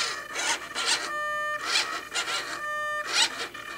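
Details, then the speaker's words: SIG Kadet LT-40 rudder servo tested with radio: whirring sweeps end in a high squeal as the servo binds at full travel, its arm hitting the pushrod. The fix is cutting off the superfluous part of the arm. "you hear that listen for the mind right here that's the servo binding and what you see is is that this part of that arm is hitting the rod right there"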